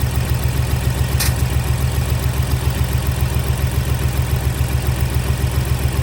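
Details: Ford Explorer naturally aspirated V6 (not EcoBoost) with heavy uneven low thumping at idle, lumpy beat about 3.5 per second; misfire codes on cylinders 1 and 2, swapping injectors did not clear it; compression test pending, owner fears worst; misfire with rough idle.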